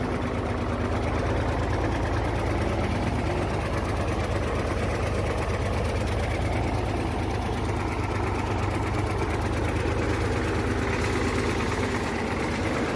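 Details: Hino J08C truck diesel at idle after overheating from a leaking water pump: hard, even rattling knock each firing stroke with uneven beat; noise from cylinders 1 and 2, back compression; overheat-damaged pistons suspected.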